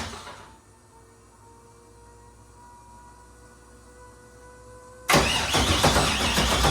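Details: LS3 engine on its first start-up attempt, transmission without oil, cranks steadily and evenly but never catches: no power to injectors and coils; owner believes the coil units weren't grounded to the cylinder heads (were bolted to the valley).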